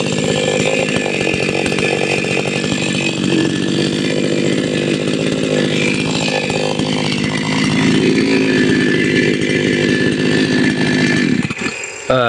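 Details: Patelo 5460 chainsaw after carburettor tuning: a loud two-stroke scream revs cleanly and holds high speed without bogging, then drops off; the saw runs well tuned.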